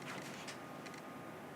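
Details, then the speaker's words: Nikon Z-mount camera with an F-mount lens during focus tracking: faint clicking and whirring bursts as the focus hunts and tracks a moving subject. The autofocus motor is working normally. "I can hear it certainly doing something I can hear the clicking and wheezing so I know the autofocus is active"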